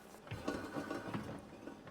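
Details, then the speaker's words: Drifted BMW with welded differential, propshaft snapped; driveline turned by hand at the propshaft flange gives uneven gritty clicks, grinding and tight spots, movement on only one wheel; mechanic suspects diff welds or plate broke, locking diff. "you can hear it's making noises and locking up on something. So I reckon that the welds have given in the diff."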